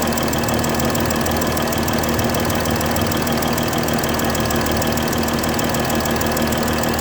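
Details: Mercedes S-Class 320 at idle: fast, fairly irregular ticking chuff over the engine. A bad injector nozzle gasket leaking compression.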